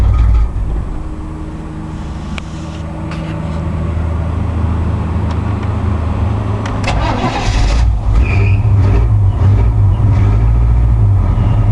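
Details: 1986 K5 Blazer not started for about two weeks: long, labored cranking at about three beats per second, then it stumbles and catches unevenly; it is a hard start and running on only four cylinders.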